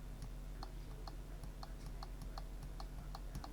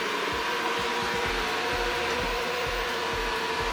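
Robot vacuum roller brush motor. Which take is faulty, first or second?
first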